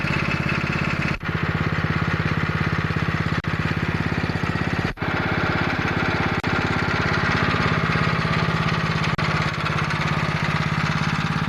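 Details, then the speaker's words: Small single-cylinder pressure washer engine with the Comet LWD-K 3020 pump removed, run outside; fast, steady beat with brief dips, pulls evenly and sounds healthy; normal running. "well that's awesome that motor runs really really good I'd have to say that's one of the best deals I've made in 2010"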